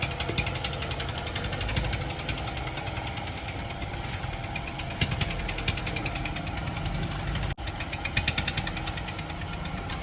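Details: Honda Civic engine at idle: steady idle with a fast, even ticking knock riding over the engine note throughout; something knocking inside, cause suspected, not confirmed.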